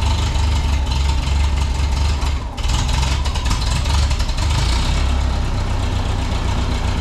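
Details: 1951 Ferguson TO-30 tractor, fuel and ignition on with a little throttle after the coil wiring work: small four-cylinder ticks over evenly with a brief dip then settles; healthy idle, no misfire or knock.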